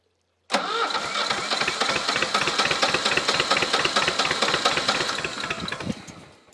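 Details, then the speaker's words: Old Shibaura (Ford-built type) diesel tractor, sat for years, after tightening fittings to cure an air leak: cranks and catches on its own within a second without ether, firing unevenly and lumpy before settling as revs rise. "It wanted to go on its own, so let's try it again. It's right there. It wants to go. Yeah, she's doing all that on her own. I'm not spraying anything this time."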